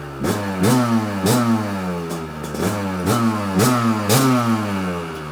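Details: Kawasaki KDX 200 two-stroke, first start after new piston and top end, original over 30 years, choke on; crisp repeated blips, revs climbing and dropping cleanly, no rattle or misfire, light smoke. Normal running.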